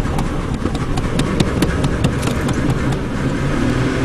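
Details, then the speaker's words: Old Chevy found behind a barn, long-idle engine first start after fitting a replacement starter: catches and runs evenly on its own with a light regular tick and no heavy knocks; sounds healthy, initial smoke clearing as seals likely swell. "try it sounds awesome better smoke probably developed seals a little bit"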